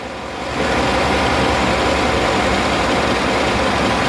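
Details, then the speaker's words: 2008 Chevy Avalanche with an idle-only misfire and P0300 code, after the cylinder 1 and 3 plugs were swapped. Rough, loping idle under a steady rumble. The bad waveform moved to cylinder 3 with the cracked-porcelain spark plug. "Now I'm on the number 1. I can feel the miss. Looks pretty good, doesn't it? So now you know what a cracked porcelain looks like on a spark plug."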